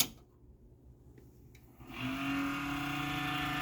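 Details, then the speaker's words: Dell Dimension 4600 on a salvaged power supply: after a quiet start, a droning rough-edged whir spins up and holds steady; suspected video card fan, judged to be the worn power supply fan. "It's the video card fan. It's the power supply fan. Sounds like it might actually be the power supply fan."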